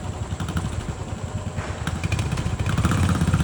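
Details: Royal Enfield Classic 350 BS6 single at idle: uneven low thudding patter at roughly three beats a second. Engine knocking, cause not identified.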